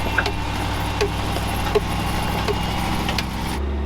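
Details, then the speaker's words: "Fred" driving on road with snow chains: uneven slapping clunks about once a second over running engine, like a galloping horse; loose chain on one wheel beating running board. "sounds like a horse like like a horse galing down Road like it did in uh the red Jeep they're doing exactly what I knew they would do"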